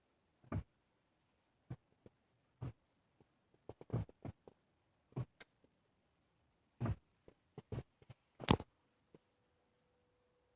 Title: 2003 passat no start no crank odd clicking/movement sound behind dash